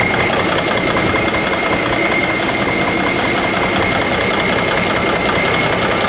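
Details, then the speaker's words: 1991 Freightliner, Cummins NTC-365 with bad throttle lag: loud uneven lumpy clatter; rough running, owners suspect air being sucked into the fuel system, unconfirmed. "now you can hear that turbo just slowing down it it it acts like it's getting air in the system it's sucking air or there's a getting introduced somehow"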